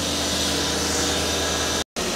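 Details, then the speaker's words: 1995 Lexus SC300, 230k miles, after 15-20 minutes of running following a temporary wiring repair: steady, even idle hum under a light hiss, no misses or knocks; good idle, slightly fast, possibly the idle air control motor. "seems to actually run pretty good it's quiet has a good idle it's a little fast but that might be like an idle air control motor or something"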